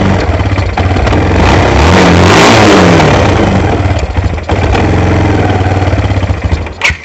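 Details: ATV after carburetor cleaning for bad gas, started on choke: small single catches after a few cranks, revs up, then settles into a steady thumping idle around three beats a second; running healthy.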